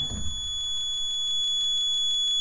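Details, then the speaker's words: 1991 Yanmar B50 excavator, key on, after temperature-light wiring repair: high, steady beep pulsing five or six times a second without stopping; warning buzzer stays on, cause unclear, rewiring planned. "the warning buzzer I cannot get to turn off I'm not sure what they did from the factory it doesn't make sense to me"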